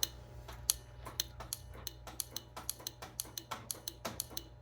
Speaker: okay okay well I've got something here you can hear hear it so the relay is working the motor is not working